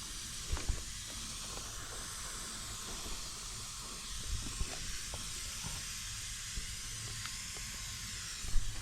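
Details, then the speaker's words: Trane/American Standard AC condenser coil under nitrogen pressure test, oil residue seen: steady quiet high hiss with no rhythm, gas escaping from the coil leak, felt blowing on the hand. "I feel it right here. I can feel it blowing. I can feel the breeze of it blowing on my hand right here."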